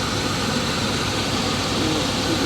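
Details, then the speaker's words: 1980 Chevrolet Scottsdale V8 pickup parked 26 years, idling in shop, transmission fluid down about a quarter: smooth even rumble, belts not squeaking, no ticks or misses. Finding: normal idle. "But other than that though, sounding super good. Belts aren't squeaking, nothing."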